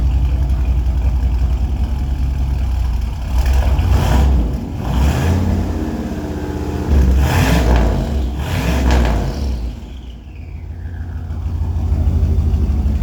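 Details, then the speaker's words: Vehicle "Rocky" with stock turbo, first start after new TTA Performance 2.5" straight-pipe exhaust (no mufflers, no cat): deep fairly quiet exhaust with throttle blips and brief turbo whistle on drop back, slightly rough but healthy; normal running. "As you can see, it's not very loud for not having any mufflers, any catalytic converter on it. It's all pipe. With a stock turbo, it's actually pretty quiet, mainly because the turbo is taking all the sound out of it."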